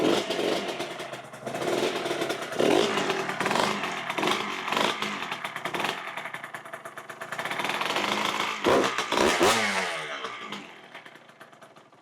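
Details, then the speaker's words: 1999 Kawasaki KX125 two-stroke after sitting, fresh non-ethanol 32:1 premix with Castor 927: revs rise and fall in uneven surges, crackly at the top; carburetor needs tuning. "Good deal. Sounds good. Obviously, we're going to need to tweak on the carburetor a little bit, but let's keep going."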